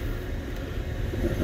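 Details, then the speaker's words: BMW (N55, 5/7 Series) radiator cooling fan running flat out with a steady low roar after warm-up; overheating fault, with fuses and thermostat being checked. "now check all of these one by one before we you know jump to any conclusions and we know the fans working because we can hear it"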